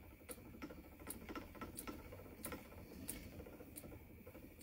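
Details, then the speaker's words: Spinning wheel in quiet room: light regular click about every 0.7 seconds, once per wheel turn, from where the snapped drive band was melded back together. "i can hear it clicking that's the place where the drive been snapped and i melded it back together so i could hear it clicking and the clicking gets on my nerves"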